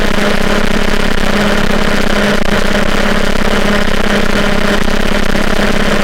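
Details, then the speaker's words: MBK 51 with Bidalot G2RR cylinder, Ninja G2 exhaust, 24 Maikuni PWK carb and Polini 0.35 mm reeds, running rich: steady low two-stroke burble with a dry clatter at low revs, which the owner attributes to the carb and intake; the exhaust itself is fairly quiet. "bon on entend beaucoup de claquement ça c'est le carburateur c'est l'admission mais le pot en lui-même il claque le pot en lui-même est plutôt silencieux avec un bruit sympa"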